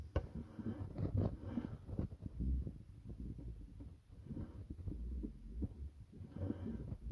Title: Thrustmaster cog noise when turning the wheel